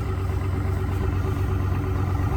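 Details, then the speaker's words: 1971 International Scout 345 V8 with Holley Sniper fuel injection, just started cold, heard at the exhaust: deep, steady, even burble at slightly raised fast idle; normal. "you guys can hear that. Once it gets up to temperature, it'll come down off of the fast idle."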